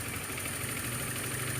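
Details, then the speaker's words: Honda Beat automatic scooter after retightening a loose spark plug that had caused a rough piston-like noise: even, steady putter with no knock or rattle, smooth normal idle. "Dengaran kan? Suaranya sudah halus, normal, standar, seperti sedia kala pada waktu itu, pada waktu normalnya."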